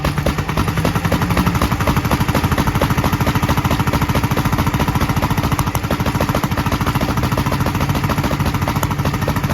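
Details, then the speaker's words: 1943 Gravely Model L single-cylinder on rebuilt magneto and borrowed 1955 L carburetor with its settings; uneven chug about 3.5 beats/s, popping from carburetor and exhaust; valve lapping and valve lash check planned. Rough running with popping. "you could probably tell it was popping out of the carburetor and popping a little out of the exhaust"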